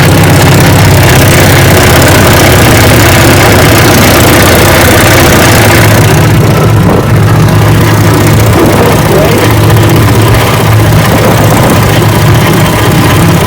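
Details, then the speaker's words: Fully rebuilt 1959 Evinrude 18 hp Golden Jubilee Fast Twin outboard on its bayou test run on a windy day: steady, throaty two-stroke burble with an even beat, no knocks or misses, and cooling properly. "Alright, got her out here on the bayou, and she runs just fine."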